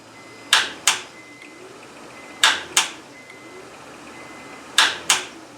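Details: 2004 Honda Accord 3.0 VTEC after sitting about five months, new battery: key turns give sharp double clicks, no cranking; starter seized, needs replacement.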